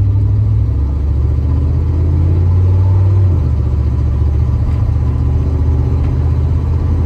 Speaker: so yeah that's how my few weeks have been going and no my exhaust is not fixed as you can hear I haven't gotten to that yet